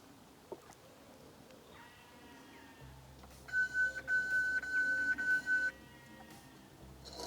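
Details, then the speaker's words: Worx Landroid Vision M600 (WR206E) robotic mower started from the app: five or six short, evenly spaced high warning beeps over a low hum before the blade spins up and it sets off. Owner thinks it detected him standing there. "there you go. So there's a few warning bleeps there, and then the mower sets off. I think it just probably detected me standing there."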